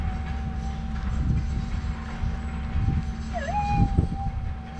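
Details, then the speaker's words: Minelab GPX 5000 metal detector with threshold just audible, before running noise cancel: steady threshold hum with a warbling, wavering tone from electromagnetic interference. "little noise you could hear there was actually interference so in this case I'm gonna put the detector down here press the noise cancel button"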